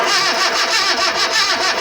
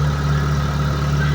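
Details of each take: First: Mitsubishi Lancer with crank-no-start: fast, even starter cranking that never fires; no spark even after a new ignition coil, and a new IM module was then fitted. A spare battery was fetched afterwards and the engine then ran. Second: Mitsubishi Lancer, formerly crank-no-start, after a new ignition coil and ignition module and a battery swap: steady, even idle hum with a low drone and no misses or knocks; now running smoothly.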